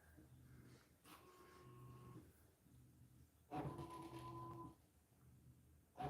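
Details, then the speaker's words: Creality Hi Combo 3D printer printing the last row: soft short stepper tones with each head move and no fan noise, very quiet overall; normal quiet printing. "it is really really quiet compared to my under 3 v3s um it doesn't sound like any of the fans are are turning right now which is one of the main um noises with the under 3s"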